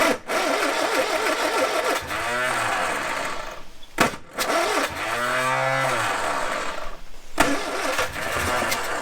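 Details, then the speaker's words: Barn-find Ford Corsair 2000E, sat for years, after cleaning plugs and using brake cleaner: cranking with brief catches that rise then die; engine fires but won't keep running. "Well, she ran. She actually ran for 30 seconds, meaning she's got a heartbeat"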